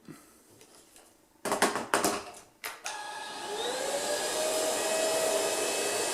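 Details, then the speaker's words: Ultenic U10 vacuum at speed 1 with microfibre brush, vacuuming an emptied dust bin's contents off the floor: handling clunks, then the hum builds and climbs in pitch as the infrared dust sensor automatically speeds up the motor. "Vous avez entendu, le moteur a accéléré tout seul parce qu'il a détecté une grosse quantité de poussière."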